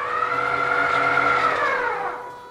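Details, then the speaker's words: Two-stage planetary gearbox (3.18:1 reduction) for a rideable quadruped, lifting 40 kg (two 8 kg and two 12 kg kettlebells) at half a meter, at half speed: a steady high whine that sags slightly in pitch as it strains. Gearbox labouring. "I can hear the gearbox laboring slightly, but I'm really only running this on half speed if I turn it right up."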